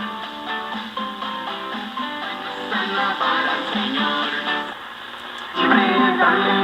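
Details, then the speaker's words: 1940 Zenith "Long Distance" portable tube radio (6D510) on about 117–120 V; guitar music plays clean and full with no hum, crackle or fading, playing normally. "so anyway I think this sounds great um I'm happy the way this sounds"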